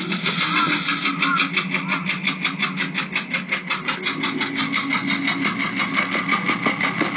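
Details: Porsche 996 late-model 911 Carrera 4 flat-six, warm, about 68,000 on the odometer, idling with a sharp, regular knock about three a second. Noise began about 2,000 km earlier and vanished off-throttle. Owner suspected the fuel pump, but the engine needed replacement.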